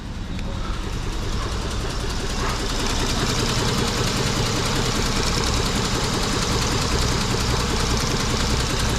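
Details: 2003 Mitsubishi Eclipse with P0300, power loss and high fuel use, apparently only two of four cylinders working: steady idle with uneven stumble two or three times a second, a misfire.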